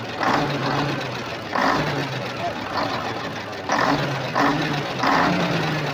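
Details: Volvo TWD121 stationary 6-cylinder turbodiesel after fixing a loud knock by replacing one intake valve and a gasket set: steady diesel clatter at an even beat with no heavy knock; runs smooth, normal after repair.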